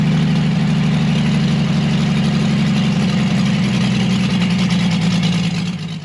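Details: Chevrolet Blue Flame stovebolt six, on a pallet and out of the truck, run longer on test with a sink instead of a radiator, getting warm: steady even low idle, regular beat, no knocks or misses; normal warm idle.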